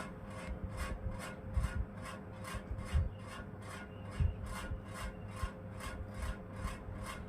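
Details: Ceiling fan still noisy after its bearing was replaced and the shaft found fine, running slower than before: rhythmic swishing scrape about twice a second over a low hum; points to a failing run capacitor.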